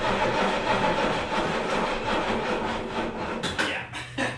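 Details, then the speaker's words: 1974 305 small-block V8 swapped truck, Edelbrock aluminum intake, shorty headers, true duals, cold start: lumpy, loping, stumbling idle with irregular misses from a worn carburetor until it warms. "I love carburetors in the cold. As disgusting as it sounds, I honestly love the sound of true duals on a V8, so I kind of like it."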